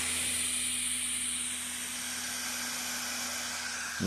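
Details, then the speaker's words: Computer disc drive burning a disc (test run): soft airy whoosh with faint steady high whine as disc spins at speed while writing, air felt coming out; normal disc spin. "And you hear it revving up. And the laser's going to start get brighter and brighter."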